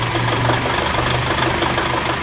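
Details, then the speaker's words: Example of spark knock: a rough-running petrol engine with a dense, rattly metallic clatter over a low steady drone. Spark knock is uncontrolled detonation of unburned fuel, and octane is a fuel's resistance to knock. "knock is an uncontrolled detonation from unburned fuel. It's not surprising if you confuse spark knock with pre-ignition - which sound identical but are very different conditions."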